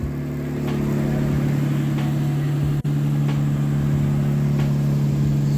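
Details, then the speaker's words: Nissan S13 with an RB20 engine that had idle problems (owner wonders if rubbed-through wiring is related): a smooth, even idle with a steady low hum, no hunting or misses, revs holding flat; the engine is idling normally. "I'll throw up a clip of the car idling normal from snapchat so you'll see that video now"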